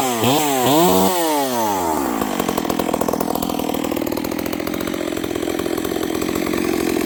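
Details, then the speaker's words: Long-parked Stihl 038 Magnum after clutch repair: revs crisply but burbles unevenly on return to idle, sounding rich. Leaning the carb made it too lean, with a stumble off idle. Cause unconfirmed. "This saw it sounds crisp. It's revving, but listen to how it comes back down idle. It sounds really rich."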